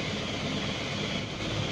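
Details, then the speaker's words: Isuzu Panther diesel idling warm: steady even clatter with constant hiss and hum, no knocks or rising squeal; noise is normal for the Panther AC compressor, not a failing compressor; normal idle. "itu mungkin rekan-rekan bisa denger ada suara berisik di dalam mesin mobil Nah itu itu bukan kompresornya yang kena ya tapi memang itu biasanya kalau di dalam masih mobil Panther ya kompresornya rata-rata Suaranya berisik seperti itu"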